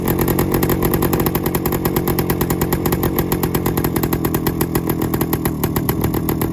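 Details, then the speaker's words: 1972 Suzuki TS185 two-stroke, first start in 30 years after new carb fitted: fast, harsh ring-ding popping at steady high idle with raspy, leaky exhaust note, heavy exhaust escaping from a leak; runs rough, something terribly off. "so that sounds like something's terribly off on the"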